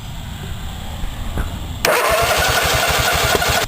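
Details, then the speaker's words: Riding mower Kohler engine, said to have run last year, mouse-chewed ignition wire repaired; starter spins the engine at an even four chugs a second but it never catches. Still no spark: failed ignition module. "when I picked up this tractor I was told that it ran last year so when I saw out that wire was chew through I assumed that's the reason I wasn't getting the spark I made the repair put the module back on still no spark"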